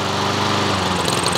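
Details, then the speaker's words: Troy-Bilt TB130 mower with a Honda GCV160 engine whose auto choke was replaced by a manual choke cable, started on the first pull with full choke applied; steady even single-cylinder drone, no misses, normal running on choke. "so let's start this thing all right guys so choke appli let's fire it up first pull let's lay off now we're"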